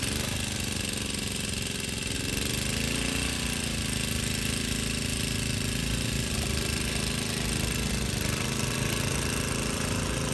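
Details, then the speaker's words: Vintage Cooper Klipper reel mower, driving and cutting short grass. Steady, even drone that rises and falls briefly in pitch as it takes load; runs smoothly. The reel needs sharpening and the bed knife needs adjusting, but it cuts. "there you have it it does need to be sharpened and the bed knife needs to be adjusted but it does cut not that the grass is that high now it does cut pretty good"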